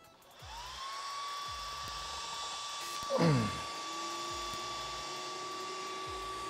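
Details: AntMiner S9 Bitcoin ASIC miner at first power-up, before mining starts: power supply's small fan spins up to a steady high whine within a second and holds even, loud like a server power supply; normal fan noise.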